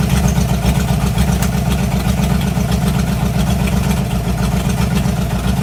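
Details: 1986 Mustang GT 5.0 V8 with stock '90 shortblock, ported E7 heads, B303 cam, long-tube headers: loud, lumpy idle with deep steady exhaust burble, no knocks or ticks; normal idle.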